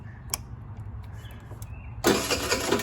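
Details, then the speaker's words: Electric starter whirs for about a second, turning over a free 50cc TaoTao Chinese scooter's engine that never catches or fires; cranks but won't start. "Oh my god, it even has a battery in it, and it starts. Well, it doesn't start, but it has an electric start."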